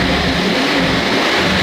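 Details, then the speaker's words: 2015 Rolls-Royce Wraith rebuilt from parts car, first running after not running before, with muffler delete: even, throaty engine roar holds steady with no knocks or misses; loud but healthy unmuffled note, normal running. "what it sounds sounds sick oh yeah have you got an exhaust on it or not uh it has a muffler delete so yes it sounds pretty good it sounds like a like a tiger but not but like a tame tiger"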